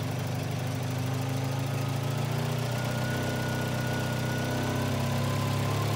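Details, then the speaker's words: 1985 Volvo 240 (LH2.2), with the idle air control motor grounded via its blue/white wire and shown working: a steady fast idle with an even low drone that never settles. "so it shows you that the motor is working but why am I getting a high idle"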